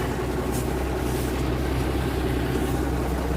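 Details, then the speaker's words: 1979 Kenworth W900A under restoration, diesel running off a temporary fuel can with a new air governor, Jake brakes being tested: deep, steady rumble with an even beat and no knocks; running healthy. "Take a listen to the Jake's. Sounds pretty good."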